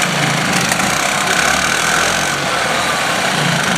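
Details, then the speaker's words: 1977 Harley-Davidson golf cart with 250 two-stroke running after years of sitting; steady, even buzzing idle drone with no misses or knocks; runs well, though a broken ground and the forward/reverse selector sometimes make it hard to start. "there's a broken ground down there other than that um she's not bad she runs good"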